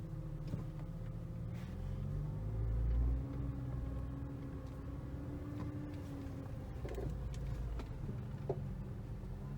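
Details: 2012 Audi S4 B8 with 80K miles, at crawling speed while steering: scattered sharp creaks and dull clunks over a quiet rumble; strut mounts, upper control arms replaced and subframe bolts tight; owner suspects the intermediate shaft or steering rack, unconfirmed.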